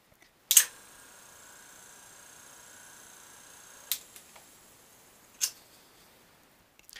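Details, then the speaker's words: Single-phase AC brushless shop-tool motor at start-up: sharp single clicks as speed changes over a thin steady whine; the centrifugal switch engaging normally. "if you hear that clicking sound that's the centrifugal switch engaging and if you uh try to say lower the voltage or something like that you're going to draw more amperage and uh cause problems with that centrifical switch"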